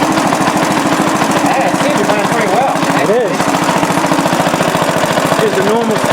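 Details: Restored rare Briggs & Stratton NR6 engine with 6:1 gear reduction, running on gravity fuel feed: steady, even single-cylinder putter at constant rate with no misses, knocks or rattles; engine runs healthy.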